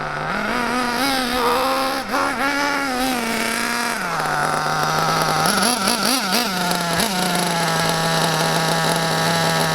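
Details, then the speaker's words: Lean high-speed needle on a nitro Mac 28 engine in a Hyper 7 buggy: high, thin scream that wavers and hunts in pitch. Extremely lean, fuel-starved with too much air, dangerous for the engine; needs richening at once. "lean as you can see the engine is so lean it was starved of fuel that is a very extreme case the engine is running so lean it's got not enough fuel going in there way too much air"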